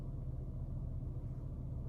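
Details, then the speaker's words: Slammed BMW E46 after the lean code cleared on its own: deep, quiet, steady idle rumble with speed sitting a little low, and it dips low at traffic lights when pulling off; low idle speed, cause unclear. "still idling the same I have thought that's a little bit low"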